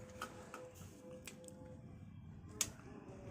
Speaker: Nah langsung aktif kan nahah ada bunyinya ck-cetrik itu selenoid ya tuh nah gitu